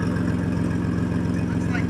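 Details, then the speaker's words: Swapped 3.7 V6 Mustang with a big single turbo, idling after the exhaust repair: a steady deep idle with an even low pulse and no puffing or ticking at the pipe; exhaust leak confirmed fixed. "right so it's definitely fixed the exhaust leak is good we are good to go"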